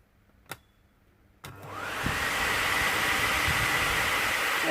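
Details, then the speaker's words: Peugeot 107 HVAC blower motor bench-tested on direct power, brushes still have plenty of length; click, then a smooth whirr spins up within a second and stays even; blower motor runs normally. "it runs perfect"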